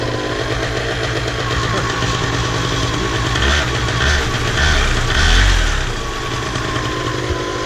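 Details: Miniplane Top 80 paramotor two-stroke after its ignition wire was replaced: it fires up and settles into a steady buzzing run with a couple of brief blips, sounding healthy.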